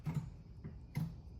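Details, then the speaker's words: Fiat 500e on bench power supply (weak 12V battery), door opened: two quick clicks then a clack a second later as the HV contactor drops open; BPCM misreading pack voltage, contactor out of sequence code; fixed by replacing BPCM. "so that was a contacttor closing and then opening again. It didn't actually fully close the contacttors like it's supposed to."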